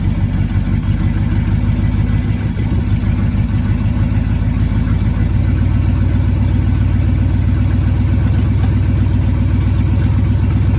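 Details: 1974 Ford F-350 grain truck, 360 FE V8, four-speed manual, allegedly 42,000 miles, carburetor rebuilt after sitting about a dozen years; deep, steady idle with an even low throb about three firings a second, no misses or knocks; running cleanly.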